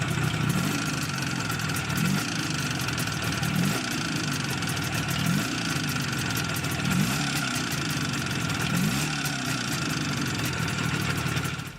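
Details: Izh Jupiter 5 two-stroke twin, balanced engine, first test start after rebuild: steady idle with a light metallic ring over the exhaust beat; factory pistons measured with taper beyond service limit and standing proud of the liners, causing piston ringing.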